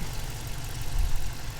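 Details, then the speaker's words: 2018 Dodge Challenger R/T Shaker 5.7 HEMI V8 petrol/LPG, bonnet open, idling: smooth low rumble with fuel injectors audibly tapping as they should, no knocks or misfires; healthy. "engine's clicking away all nicely I can hear the I can hear the fuel injectors tapping away as they should do nice and healthy"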